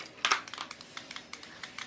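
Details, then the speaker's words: LG front-loading touchscreen washing machine F1014NTGW with intermittent error and hard starting, control module bench-tested with display cable spliced: indicator lit and an irregular rapid clicking of a dozen uneven ticks in two seconds, a relay chattering on an unstable supply. "Nah, bisa teman-teman lihat untuk indikator sudah nyala dan barusan terdengar relay yang ceklik-ceklik seperti itu."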